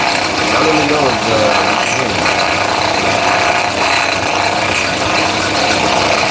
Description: Here I replace the alternator decoupler pulley of a 2017 Honda Accord because its causing a rattle noise.